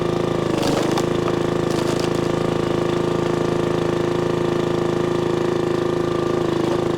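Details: 1996 Brave log splitter, about 30 years old, revived after its engine had seemed to seize; splitting wood on a cold, windy day, the small engine drones evenly, dips faintly as wood splits, then recovers; healthy.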